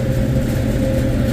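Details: Mid-temperature refrigeration cooler after correcting a backward liquid line solenoid valve, with the condensing unit running: smooth, steady fan hum, constant low drone, no rattles or pulsing; normal operation.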